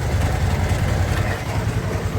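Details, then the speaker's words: Yamaha Sniper 150 at idle before teardown: steady low idle with a dull uneven coin-like knock; piston slap, and teardown found a scored cylinder block and piston, likely from oil starvation though the owner says oil never ran low. "So may client tayo, ito yung tunog ng motor ni Bossing. Hindi pa ito ngayon pa lang natin babaklasin. Tingnan natin kung ano yung mga parang barya na tutunugan doon sa loob."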